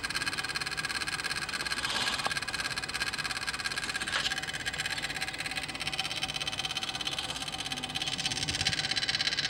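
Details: Toyota Hilux 3.0L 1KD-FTV diesel, ignition on and engine not running: fast, steady, loud sharp clicking from a part of the engine bay, not the starter; source unidentified.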